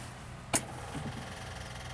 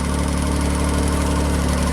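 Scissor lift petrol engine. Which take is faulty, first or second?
second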